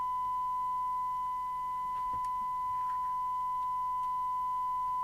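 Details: Catswhiskers CW1580P UK CB27/81 mobile CB radio, repaired with selcall boards removed, on test: a clean, steady tone near 1 kHz with faint hiss. The receiver is now passing the signal properly.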